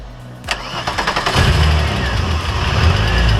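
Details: Corrado VR6 that had been shutting down and would not start, after extending the pushed-in spring connection from ignition coil to rod; starter cranks with quick pulsing churn about a second, then engine catches cleanly to steady low idle; normal start.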